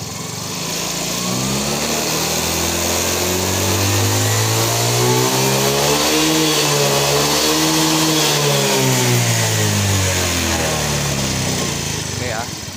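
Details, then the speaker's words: Fino 125 scooter after repair: clean, even rise in pitch as throttle opens, holding through mid-upper revs with no stumble or misfire; now very responsive, unlike the stutter and held-back power on arrival. "Ini sudah sangat responsif, berbeda jauh dengan keadaan yang tadi waktu pertama kali kita tangani, saat pertama kali datang ya."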